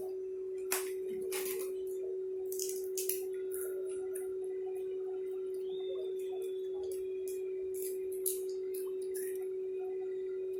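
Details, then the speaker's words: New Q9 wireless Bluetooth mic in rose gold, tested connected to a phone app. A steady mid-pitched hum from its built-in speaker stays unchanged under faint clicks and grows when the volume is raised: constant hum. "Masih kedengeran ya dengungnya ya. Tak ku mengerti mengapa begini. Dengungnya masih ada."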